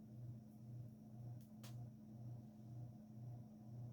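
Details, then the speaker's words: Evergo GE-Vent 52" hugger ceiling fan, 1986, stamped motor, model 4E-6EALW-P3S, with light kit and globe, turned down to medium: quiet low motor hum pulsing about twice a second, no globe rattle or buzz; runs smoothly, normal. "Sounds like it's going to be fine."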